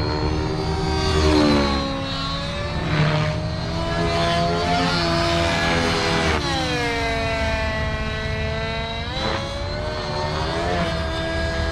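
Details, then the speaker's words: Nitro RC helicopter, OS 55 AG engine, power boost pipe, 30% heli fuel, warmed up, high head speed under load: crisp screaming note dipping and recovering cleanly, normal smoke trail, good mid-range power; well-tuned engine. "that smoke Trail is about normal that mid-range feels good"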